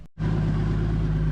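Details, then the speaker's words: Toyota Supra with new turbo, O2 sensor failed and unplugged: engine catches quickly and settles into a steady, even deep exhaust drone, no knocks or rattles; definitely quieter than before. "All right. It's definitely quieter. It actually run out surprisingly quite a bit."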